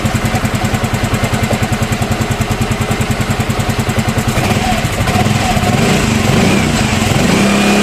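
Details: Yamaha Mio M3 scooter after repair of rough engine noise, valve clearance checked at top dead centre: steady, even idle with a regular thump, no knocking or rattling; normal idle.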